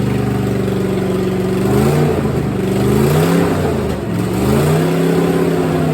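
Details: 1964 Chevelle V8 first start after sitting, little coolant in it: loud raw revving through blips with an open, harsh exhaust bark; header on one side leaking where three exhaust bolts are missing.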